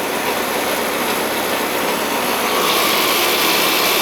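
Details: Old Ruud AC outdoor unit running after coil cleaning, with low suction pressure; loud, coarse rushing roar with a hard edge and no clean hum; excessively noisy, likely from wear; customer wants a quote for a new system.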